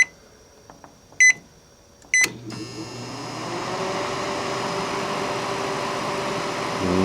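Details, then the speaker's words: Panasonic inverter microwave with substitute inverter fitted: two panel beeps, then steady hum with faint clicking but no heating; inverter apparently not the cause, magnetron suspected dead, not confirmed. "no doesn't sound like it's doing anything so the magnetron may be dead in this way yeah hear it clicks clearly"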